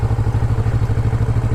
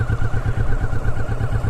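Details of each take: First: Motorcycle in first gear at about 8 mph, clutch fully out, very light throttle: steady even low thump about twelve pulses a second, no stumbling or jerking; normal clean low-speed pull. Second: Motorcycle in first gear at about 5 mph, clutch let out slowly with no throttle: low, uneven, jerky thudding pulses as the engine lugs and stumbles, bogging from too little throttle until a small twist is given.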